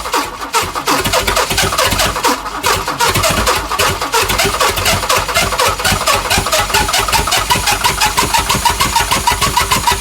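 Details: Chrysler Valiant CM Hemi 265 six, rebuilt starter wired through bypass switch: even rhythmic starter cranking for several seconds without the engine catching; turns over but won't fire.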